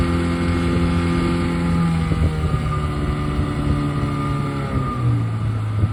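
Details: 1971 Mercury Thunderbolt 7.5hp outboard with perma-gap spark plug, full throttle on a GPS power run at about 17–17.5 mph: smooth, steady drone with even firing, no misses or knocks; healthy engine.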